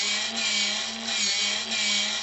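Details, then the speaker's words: JMC servo pump (70 rpm, self-priming) filling the boiler of the RC steam tug Resolve from a water tank: a thin, high whir with a soft pulse about every two-thirds of a second. The pump is slow but working. "Je sais que la pompe est pas très rapide, mais je sais qu'elle fonctionne."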